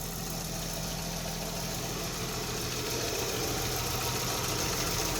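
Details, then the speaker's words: 1955 Chevrolet Bel Air V8 idling after sitting for years, with an exhaust leak: smooth idle with light quick chatter on top, about three ticks a second; lifter tick as lifters need to pump up after storage. "you can hear it being a little chattery up here that's just because it's been set in a while we'll need to let that pump up for a little bit"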